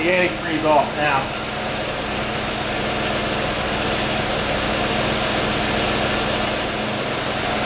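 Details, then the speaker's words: C4 Corvette LT1 V8 just started after intake manifold gasket replacement: steady, even idle hum with no misses, ticks or knocks; normal idle. "all right let's crank it beautiful fired right up"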